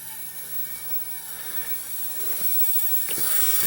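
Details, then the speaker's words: Nanao MS9 29-inch CRT monitor: loud, sharp hiss from the neck board area over faint whine, image flickering and the set shutting itself off; cause unknown. "to it but you can hear the back of this thing hissing like crazy um especially it sounds like it's around this area"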